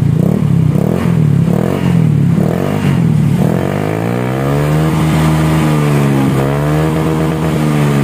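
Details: Honda Scoopy with a CMS exhaust rebuilt and repacked to change the tinny note to a mellow deep one. After refitting, repeated blips give way to a steady rising and falling rev. The note is deep and smooth, with no rattle or tinny buzz.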